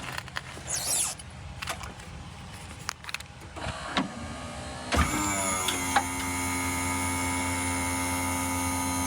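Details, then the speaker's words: Wheelchair lift hydraulic pump on a bus, fluid likely unchanged since about 2012, after hydraulic oil flush and change: steady electric motor whine holding even pitch under load, powering through the top without slowing; normal, stronger running. "sounds so much better [Music] wow it's got a lot more power too so normally when it gets to this top part where it has to compress these gas threats the thing slows down a little bit but now it just powers right through it that's awesome"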